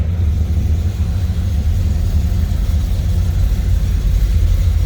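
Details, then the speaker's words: 1981 Chevrolet El Camino, 350 small block, TH350 automatic, Edelbrock 600 CFM carb, mildly ported heads, RV cam, Hooker headers, 2.5-inch dual exhaust, just after cold start: deep steady V8 idle with slight lope, no knocks; normal mild cam lope. "you can hear that mild cam. Good sounding exhaust."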